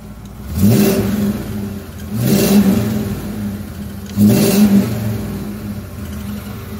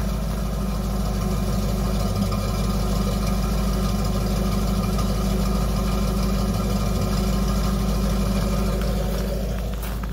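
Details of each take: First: 1993 Ford F150 with new custom 2.5" exhaust and Flowmaster 10, a leaking header/manifold gasket and a missing bolt: three throttle blips with a faint new tick following engine speed; owner suspects low oil, valve-train tick suspected, not confirmed. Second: 1993 Ford F-150 Flareside idling with new custom 2.5" header-back exhaust, single spun cat and Flowmaster 10 Series muffler dumping ahead of the rear passenger tire: deep, even burble about three pulses a second. Normal exhaust note.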